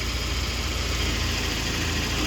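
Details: 1993 BMW E36 sedan, 1.6 chain-driven petrol four-cylinder, cooling redone, daily driver: smooth, steady low idle with even beat, no knocks, ticks or misses; normal healthy idle.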